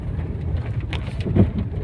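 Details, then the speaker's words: Tata Zest on a rough, unpaved road test drive (quiet on smooth road): irregular dull thumps and knocks from the left side, heaviest over bumps; loose ball joint and worn tie rod ends. "तो left side से गाड़ी में आवाज़ आ रही है।"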